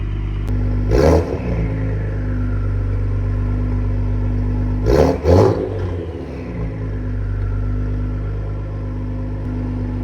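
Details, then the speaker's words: 2020 Ford Explorer ST just after replacing a failing flex pipe that rattled; smoke is oil/WD-40 used to slip pipes on. Deep steady idle with two sharp throttle blips, raspy but clean exhaust, no rattle or buzz; normal exhaust note. "It's just oil inside. Sprayed a bunch of WD-40 in the pipes just to help slip them on. Sounds good, rowdy."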